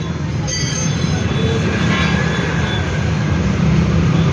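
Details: Bajaj auto rickshaw rolling: heavy rough rumble with grinding, rattling edge and faint squeals from a bad front wheel bearing, which is then changed.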